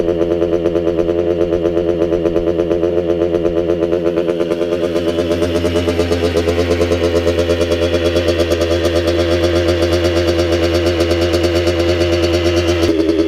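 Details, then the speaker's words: Restored 1985 Kawasaki KX125 two-stroke, first start after an engine rebuild with heavily oiled cylinder and rings: crisp, even popping at a steady, slightly high idle with no misses; runs well but the idle needs lowering. "hey the idol needs to come down a bit but this sounds really good overall"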